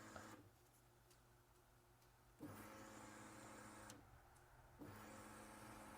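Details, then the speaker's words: Chevrolet Silverado no-start with zero fuel pressure: the fuel pump, powered directly by jumper wires across the control module connector, gives a faint steady electric hum in a few short runs. The pump and wiring are good; the fuel pump control module is faulty. "Okay, I'm sure you guys could probably hear that, but the fuel pump is running. So now we know that this is our culprit."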